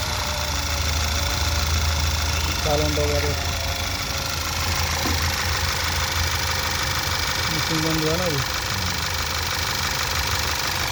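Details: Skoda petrol engine after fixing a cylinder 1 misfire (P0301) caused by oil from a leaking seal reaching the plug and coil, cleaned and refitted; steady even idle with no stumble, now running smoothly.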